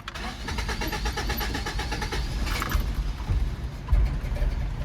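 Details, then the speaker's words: 1982 Toyota Pickup 4x4 SR5, 22R engine described as on its last leg, no catalytic converter: starter cranks in quick, even strokes about two seconds, then catches and settles to steady idle; normal cranking and starting, owner says it always starts. "let me uh start her up for you guys and so you can uh hear that 22R per ah starts up every time"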